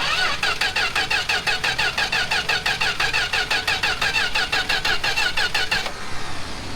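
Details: 1967 Plymouth Valiant slant six, long stored, choke on, cylinders fogged with PB Blaster the night before: starter churns steadily about three beats a second for six seconds, never catches; crank no-start, owner suspects no spark or PB Blaster fouling, unconfirmed.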